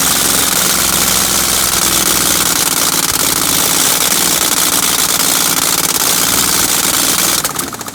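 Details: 1965 Chevrolet C10 with 307 small block V8, first start in 20+ years, run briefly without exhaust manifolds: loud, choppy, uneven open-port popping at idle with irregular beat; ignition timing was wrong, later fixed.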